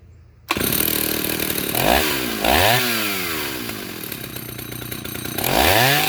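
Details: 1974 Husqvarna L65 vintage chainsaw, cleaned up: crisp two-stroke snarl revving up and dropping back cleanly several times, pitch climbing and falling smoothly. A healthy running saw.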